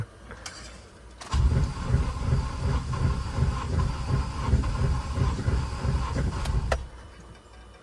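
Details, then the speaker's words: 7th gen Honda Accord, junkyard engine, first start during manual swap: catches and runs about five seconds with uneven, lumpy rumble that never settles, then dies; no codes stored; rough running. "I wish I knew what was going on over here sounds terrible though"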